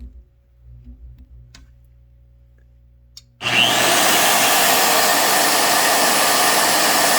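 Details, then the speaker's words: Evolution EVOMAG42 UK 110V magnetic drill converted to US 120V plug, first run with magnet engaged: motor spins up quickly to loud, steady high whir with no stumbles; normal motor running. "the magnet has engaged the table wow that's really strong disengage [Music] nice engage you can hear it humming or I can hear it humming"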